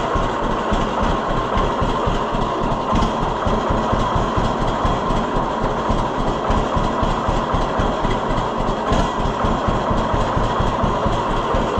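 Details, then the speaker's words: 1948 John Deere B two-cylinder after Wico X magneto work: slow two-cylinder putt about four beats a second, low even idle with no dropped beats; normal idle. "I don't think it would have idled that low before. Yeah, I'm I think I think it did make a difference."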